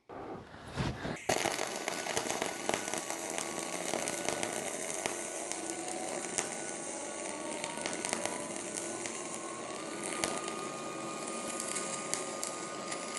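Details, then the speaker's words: Rockmount Polaris Max Shield Pro 0.035 dual-shield flux-core wire with C25 gas on a Miller 220 MIG welder: steady, even hiss with fine crackle and no harsh popping or spatter, sounding more like spray transfer than short circuit. "All right, so you heard the Max Shield Pro run. Once again, it sounds more like spray."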